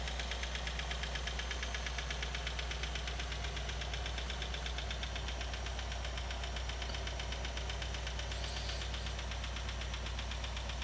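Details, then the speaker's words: Nissan/Infiniti 3.5 or 3.7 L V6 idling: busy metallic rattle over the idle, timing chain rattle; typically starts mostly when cold and fades when warm, heard constantly as it worsens. "so that's the timing chain rattle so the timing chain rattle typically when it first starts on the Nissan engines it will happen mostly when the engines cold"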